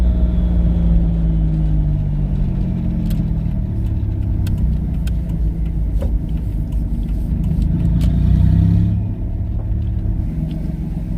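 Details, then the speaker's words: Twin-turbo V6 Mustang, untuned, after swapping in a DW 340 lph fuel pump: deep exhaust rumble rising and falling cleanly as it pulls away and cruises. No stumbling or stalling; it sounds fine. "hasn't died on me yet i mean it sounds fine"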